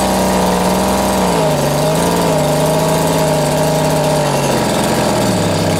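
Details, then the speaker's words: Vintage Echo two-stroke strimmer on its first run after reassembly: uneven buzz with revs sagging and wandering. Owner thinks the carb needs adjustment; rough running, low compression. "I'm doing pretty well or it needs a little bit of adjustment on the carb there I think so"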